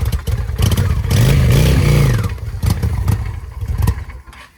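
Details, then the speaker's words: 2007 Honda Shadow V-twin on the first start after a new clutch: it fires up and revs briefly with an irregular metallic clatter over the exhaust beat. It knocked earlier and seized briefly while the oil was checked running. Oil was drained. Still sounds bad; cause unknown. "Not sound very good still. I think my bike may be fucked, guys. I have no idea why."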